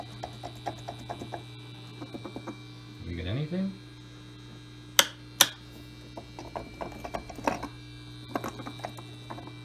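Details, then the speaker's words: 1968 Farfisa Combo Compact Deluxe organ: steady low mains hum with handling clicks, present even with all tabs off; noisy power supply suspected, recap of power supply planned (not yet confirmed). "you know you can already hear that humming noise when they're all of our tabs are turned off so we're gonna have to recap the power supply should clean up a lot of things"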